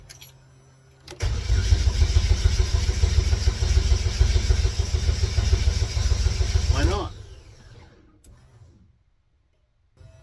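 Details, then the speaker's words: Race car after fuel cell and pump install: starter cranks steadily three to four turns a second for about six seconds, engine never catches; fuel pump found installed backwards, pumping the wrong way, terminals to be swapped. "turns out these here terminals need to be on the other end of her so we got the pump in backwards so it's pumping the wrong way"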